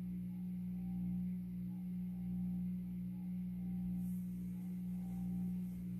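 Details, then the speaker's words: 52-inch Supreme Fan Mark III (Emperor) ceiling fan from an abandoned house on low speed: heavy steady hum with a slow swell, very noisy; owner suspects a bad variable speed control, not confirmed. "But if you notice the video that I made of this fan when I took the housing apart, you could I guess the only downfall is that it's very, very noisy on low speed."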